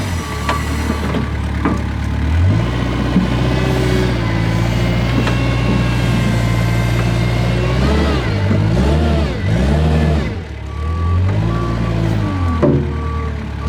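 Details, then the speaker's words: Kubota 520 hydrostatic wheel loader losing reverse drive into a pile: reverse alarm over a diesel drone that sags and surges under load. It fails only on steep grades and intermittently; forward climbs, and reverse is suspected of hitting relief. "So definitely proved that uh reverse just kind of falls flat on its face when you go into the pile and that forward it definitely wanted to climb that pile."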